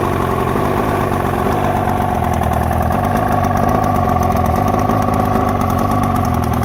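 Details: 1972 Mercury 402 40 HP outboard with a new water pump: loud, steady low idle with an uneven, lumpy beat and occasional firing stumbles; rough idle, cause unclear.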